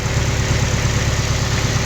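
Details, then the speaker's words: Nissan 240SX S14 KA24DE after removing one timing chain guide: steady idle just under 1,000 rpm, even firing, hardly any chain rattle left, idle still to drop slightly; timing chain rattle much reduced. "Can't honestly hear anything. Still has to drop down a little bit, but definitely lucked out just by taking off that one guide."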